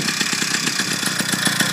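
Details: Motorized bicycle 2-stroke engine on first start, running break-in oil/gas premix, idling: quick, even popping about eight or nine a second, no misses or surging; normal idle.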